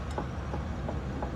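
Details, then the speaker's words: Car steering rack-and-pinion, diagnosed as the wheel is moved by hand with engine running: dull knocks about three times a second over a low engine rumble from worn rack internals, not a leak; lower control arm bushings also damaged; internal rack knock. "Mira, ¿oyes ese sonido? Eso lo hace en la parte de adentro del rack en piña."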